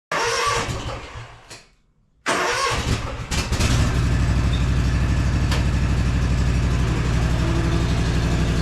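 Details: Gravely ZT HD-48 zero-turn mower, Kawasaki FR691V, before a 100-hour service: after a brief break it settles into a steady, even throb with no stumbles or knocks. Normal running.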